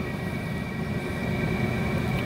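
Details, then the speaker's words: Cheap Chinese diesel heater, first test run, heard from about five feet: steady low rumble, soft hiss, faint whistle; running normally, putting out strong heat. "well here's this thing running diesel cheap diesel chinese heater i'm probably five foot away from this thing right now and i'm gonna tell you right now it is cranking the heat out"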